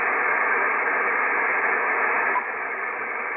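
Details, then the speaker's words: IC-7300 HDR transceiver with no antenna connected: steady internal hiss drops a step to a quiet, clean background; lowest internal noise achieved with first preamplifier on and IP Plus off, RF gain and attenuator having no effect. "so I think the best position to achieve the lowest noise generated in internally by the ic7300 is the with the first amplifier on and with uh the IP Plus off there's a huge difference"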